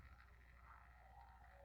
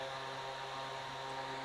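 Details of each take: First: Small fan motor connected to power: low buzzy hum and vibration without turning, spinning only when pushed by hand, in either direction; fails to self-start. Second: Small electric fan motor that previously only hummed and would not start, now repaired: smooth, steady motor hum with blades spinning evenly clockwise, then a clean wind-down when switched off; fan running normally.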